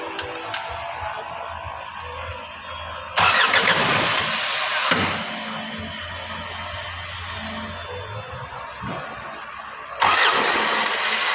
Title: ISUZU 4HJ1 hard starting injector problem